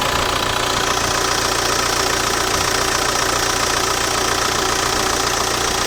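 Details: Audi A4 B7 at idle: intermittent quick even clicking/rattling about 2.5 per second over dense hiss, heard near EGR or ASV valves; a gasket leak was found with electrical spray bubbling; cause not pinned down.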